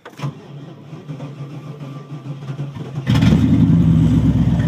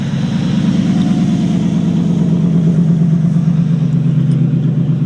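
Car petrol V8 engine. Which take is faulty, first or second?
second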